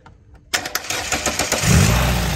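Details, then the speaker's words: Renault Clio RSi abandoned for many months won't start from the key; a few quick cranking pulses, then it catches and settles into a steady run once the starter solenoid is jumped directly; faulty ignition switch starter circuit. "Mira esto abandonado no arranca no arranca de llaves Sí tuve que puentear el burro y arrancó"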